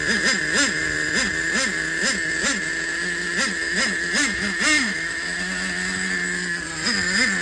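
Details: Used Traxxas 4-Tec nitro engine, carburetor reset to the factory four turns out, EZ-start one-way bearing found installed wrong: sharp, buzzy revving in quick, even blips, then a steady idle. Clean, normal running.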